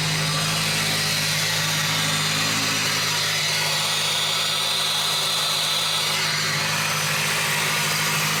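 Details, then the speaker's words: SVT Focus Mk1 with newly installed CPT cold air intake, running in neutral. Steady engine under loud airy intake rush, whistle rising mid-clip as revs lift; intake sucking noise, otherwise running fine. "Intake noise. You can hear it sucking in the corner."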